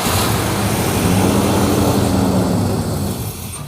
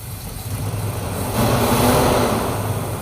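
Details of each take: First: 1968 Chrysler Town and Country wagon with a 440ci big-block V8, after the missing brake booster hose vacuum leak was found and reconnected. It now idles with a steady, even low rumble and no stumbling or hiss: a smooth idle. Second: 1968 Chrysler Town and Country wagon, 440ci big-block V8, freshly revived with used fuel pump: lumpy, uneven idle rumble with a persistent miss; suspected big vacuum leak, timing at 0 degrees.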